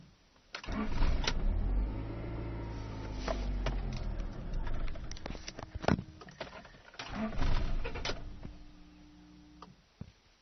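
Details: 1995 Rover 623SLi with a Honda H23A3 engine: the starter spins the engine in bursts but it never fires; the cause was a failed fuel pump, and the igniter and main relay were also replaced.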